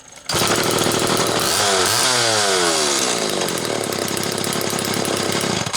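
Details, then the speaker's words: Homelite XL Automatic chainsaw in shop after repair (had only run on full choke; new bar stud, oil system reprimed), expected smoky; fires up and holds a high steady scream with brief rev sweep at full throttle; tune judged close; normal running. "Okay, she's close. God dang. And I just hotboxed this thing the redneck way in the shop."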